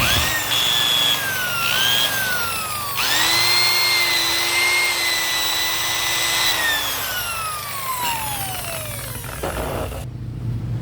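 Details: Original Makita NHP1300 drill after replacing broken fan: smooth steady motor whine rising and falling with trigger speed, even fan airflow, no rubbing or scraping; runs healthy.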